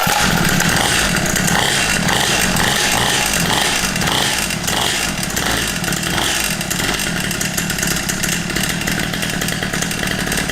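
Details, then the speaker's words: Cheap Temu two-stroke pit bike, newly assembled, first start after choke: loud raspy buzz at a steady high idle with crisp ringing exhaust; engine running evenly and healthy. "Oh, it sounds mean."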